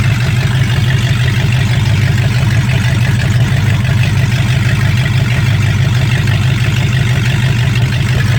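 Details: 1965 Mustang fastback, 289 V8 with Tri-Y headers, first start after sitting 44 years, freezing cold day: deep, even V8 burble around three pulses a second with no knocks or misses. Normal idle with good spark; only a dripping carburetor needing a rebuild.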